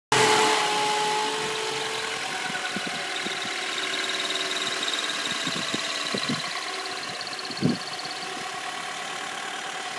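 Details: 2002 Honda Accord idling with a thin high squeak from the engine bay that appeared a week after a new clutch kit was fitted; it stops when the clutch pedal is gently pressed and returns when released.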